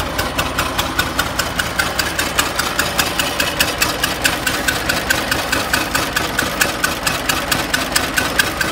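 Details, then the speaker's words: 1920 Ford Model T barn find, first start after sitting about 10 years, low compression on one cylinder: uneven, lumpy idle with irregular ticking pops and missed beats; stuck valves, not an intake or exhaust air leak. "it's really only running on one or two so it sounds like one sounds like the the 199 brush having a little issues here see what we can come up with but it's definitely not running"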